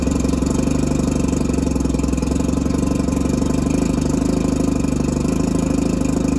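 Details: Mercury 650 outboard on a boat, first start after purchase, unrun since being winterized in 2017, water on and jump-started from a truck: it settles into a quick, even idle burble with a steady pulse and no misfires or knocks. Normal idle.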